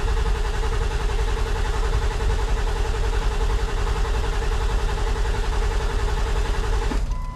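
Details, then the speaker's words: Ford 7.3 diesel being diagnosed for HPOP trouble, glow plugs cycled, battery charger attached: even cranking at 160–170 rpm that never fires, injector control pressure only just over 300, stopping there. Cranking no-start; cause unconfirmed. "okay so we spinning fast enough at 160 170 RPM we're only getting a little over 300 on the injector control"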